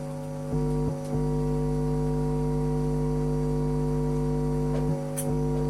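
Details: Homemade household power amplifier after replacing two supply filter capacitors, 470 µF with 1000 µF: steady low hum with overtones under music persists, reduced but mains hum still leaking through supply filtering.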